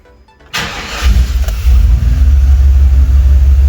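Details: OBS Chevrolet C1500 with a 350 V8, first start after a distributor replacement with timing set at zero: brief crank, then it catches at once and settles into a strong, even idle, starting and running properly.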